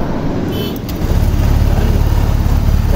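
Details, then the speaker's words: Honda Click scooter after tune-up and intake/exhaust valve clearance adjustment, started with belt removed; catches and settles to steady even idle, no top-end tapping or ticking, pump working. Normal idle. "Good din yung pump, gumagana din yung pump. Ayan yung mga tono ng pump nya. Goods yung pump nya."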